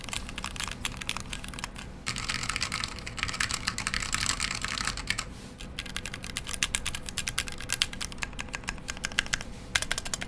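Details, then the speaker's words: Mechanical keyboard build with Amber Alps switches on a KBDpad, lubed stabilizers: rapid crisp typing with a loose rattle on one side from a loose screw holding the plate. "You hear that rattling on that side? Yeah, the case top could be a little bit more solid. Oh, actually, it looks like now the plate is loose. Like the screw is loose that holds the plate together."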